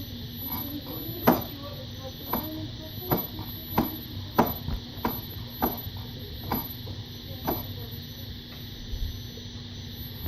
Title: Popping noise on Msuper v3 s 1300wh